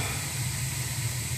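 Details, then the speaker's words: Burnham gas boiler after a bad circulator pump was replaced, with plenty of draft and about 20 psi of pressure: a steady low roar with a soft hiss and no pulsing, rumbling or popping; the burner fires cleanly. "Little Burnham gas boiler. Plenty of draft. Just about 20 pounds, good. Ready to fire up."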